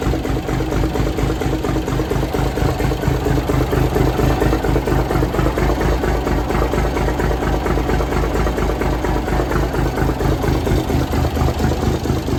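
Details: 1978 International Transtar II cabover diesel, just fired after sitting 3 years; steady even clatter at fast regular beat, no misses or knocks; normal idle, runs cleanly.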